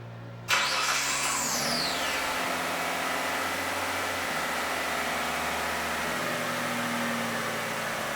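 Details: Mitsubishi Legnum EC5W after cleaning throttle body, idle air control valve and mass air flow sensor, which had caused rough, spluttering idle at startup: engine catches at once, flares briefly, settles to a steady, even idle; normal.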